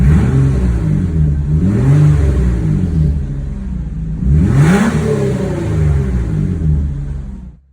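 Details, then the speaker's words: 2002 Nissan Maxima on lift, engine revving: raspy uneven puffing under the car rising with revs; exhaust leaking in two areas from the resonator back. "Customer said it was an exhaust leak. Here you can feel it. Two areas is going to be from the resonator all the way back."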